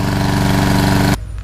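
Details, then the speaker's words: Nearly new Toro Recycler pull-start mower that was hydrolocked with oil, after running about 15 minutes to burn the oil off: an even, steady single-cylinder beat with no misfire or sputter before it cuts off, now running cleanly. "let's let it smoke out you know burn off all the oil and um see how it runs after that how much oil do you think was in the exhaust system that's a nice view it's been running for about 15 minutes much better"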